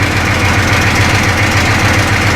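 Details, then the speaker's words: 1985 M1028 CUCV (militarized K30) with GM 6.2L diesel at steady idle: a metallic rattle at about seven beats a second in step with the firing, from loose exhaust brackets with the exhaust hanging crooked and low, to be fixed. "oh that sounds terrible we got loose brackets listen to that that sounds terrible"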